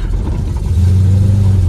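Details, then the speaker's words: 1976 Dodge Dart Swinger 340 V8, at an update after later fiddling: uneven idle with a low lumpy beat rising and sagging, lacking crispness; owner says it is now surgy, gutless and bad, cause unknown. "broke it it's all surgy and gutless and horrible i don't know what i did yeah this is uh it's not good not good at all"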